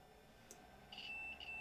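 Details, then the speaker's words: Automotive main relay bench test, multimeter continuity check across contacts while powered: steady high-pitched beep holds once contacts close; relay switching properly, nothing with power removed. "And there you go. It's a working relay. If I remove the power, nothing happens."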